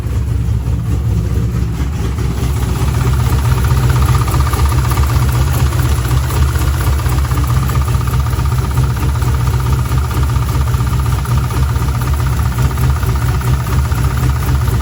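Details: C5 Corvette V8 after engine reinstall following block weld repair from starter damage: catches and settles to a steady even low idle with no misses or knocks; runs smoothly.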